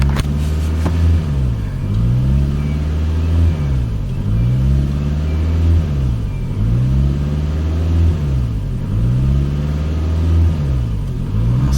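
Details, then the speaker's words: 2005 Toyota Camry with rough running, after the battery was disconnected to reset the throttle body: the idle rises and falls about every two and a half seconds without settling; owner suspects the throttle needs recalibrating. "all right we're going to try this again it was surging but who knows maybe i need to calibrate it"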